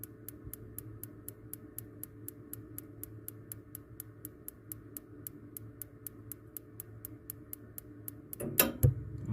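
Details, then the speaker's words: Columbia baseboard hot-water boiler that intermittently ticks without lighting: sharp even igniter clicks about four per second for eight seconds, then a soft whoomph as the burner lights properly after cleaning the gas line and feeder orifices. "i'll cut this off again turn the light off and you'll see see the arc if you're getting arc needs gas should be lit any day now"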